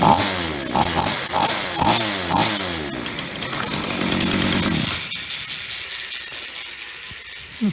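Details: Free roadside Ross two-stroke chainsaw after repair: started after 2-3 pulls, revs crisply in throttle bursts, clean high buzz, then shuts off; runs healthy, though bar oil leaks out underneath, suspected split or detached oil hose.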